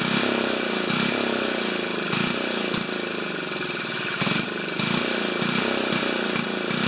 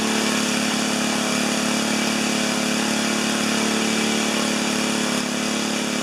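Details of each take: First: 4HP horizontal Briggs & Stratton single-cylinder, muffler screwed back in at 45 degrees on broken studs for testing: it runs steady with fairly even firing and occasional louder pops. Sounds better; normal running. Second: 4HP horizontal Briggs single-cylinder, first start: revving hard and steady at high speed with no throttle response; overspeed because governor not linked to the throttle arm.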